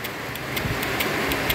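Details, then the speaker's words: Condenser water-sprinkler relay bench test: long red/black coil leads (85-86) touched to energise the magnetic coil, giving crisp dry clicks as contacts 87 and 30 close; relay switching normally. "Yun yung pagka pinagdikit nyo itong dalawa, kunyari, didikit ko lang dito, yung ito yung isa, yung itim sa side, tutunog-tunog ang relay."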